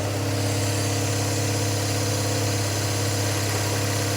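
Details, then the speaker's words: Barn-find rear-engined Czechoslovak Skoda, long stored, on choke; some excess fuel burning off at the rear. Steady, even fast idle with firm low rumble, no misses or knocks; fast idle on choke. "That does a bit of excess fuel there burning off at the back."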